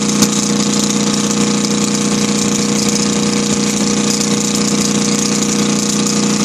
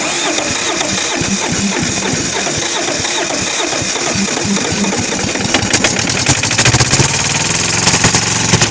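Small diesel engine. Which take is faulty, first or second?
second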